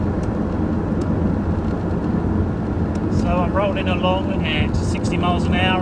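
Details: 2001 Jaguar X-Type 2.5 V6 manual petrol after transfer box oil change (box replaced at 65,000 mi; owner earlier heard whine on cold drive-away), iPod on floor near transfer box: steady road and tyre rumble at speed, no whine, smooth and quiet.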